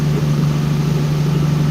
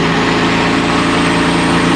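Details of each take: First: Engine on the dyno after ignition timing advance was added: steady, even idle with a smooth low hum and no stumbles or misses. Its tone changed dramatically and it sounds smoother and happier. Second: Tuned performance engine after timing was added: steady, even idle sitting noticeably high and not settling; so much ignition advance the idle table had to be raised, high idle from excess ignition advance.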